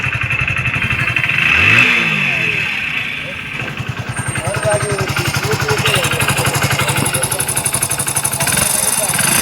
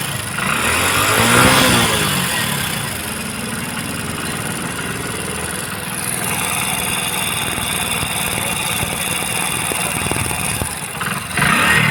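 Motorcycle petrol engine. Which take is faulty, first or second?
second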